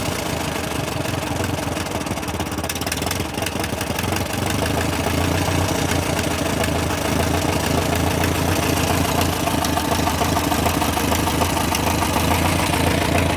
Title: MF TO35 After Rebuild Ticking/Knocking Sound